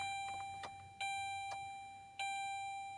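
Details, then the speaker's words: 2007 Saturn Ion cold start after months unused: warning chimes repeat about once a second over silence, with no starter whirr or click; owner suspects a dead or weak battery, later thought loose wiring; no crank, chime only. "Enough to beep her, but not enough to crank it. Well, that's interesting. Huh. Well, she's either dead or she's just so weak that it won't crank it."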